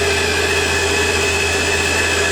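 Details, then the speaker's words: Lathe power feed motor during a turning cut: steady high whine with fixed tones over an even hum; the feed motor itself is loud; owner plans to replace it with a NEMA stepper motor and driver. "it probably makes about the same amount of noise as the drivetrain in the headstock if I were to have that connected. So yeah, for some reason it comes out very loud on camera."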